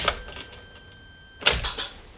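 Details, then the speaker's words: Vauxhall Corsa with a clicking throttle body and non-start fault, after fitting a second-hand throttle pedal, at key-on: a sharp click, a faint whine, then another clean click; the throttle body self-test sounds normal. "now it's time to test one click good start let's try again"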